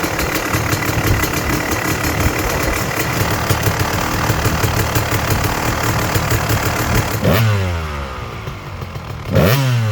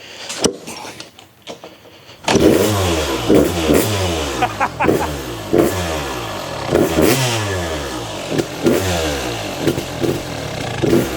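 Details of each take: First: Freshly restored Kawasaki KX250 two-stroke with sleeved cylinder, first run after start-up, kill switch tested: crisp steady run, revs drop and snap back up cleanly with no misfire or rattle; sounds vile, snappy, healthy; normal idle and revving. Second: Fully restored Kawasaki KX250 two-stroke, first start after five primes: it fires and crackles with uneven revs rising and falling. The idle screw is way out. Erratic idle.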